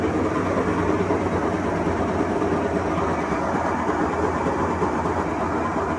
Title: 21355 - Leak in seal caused bad bearings / loudness during spin.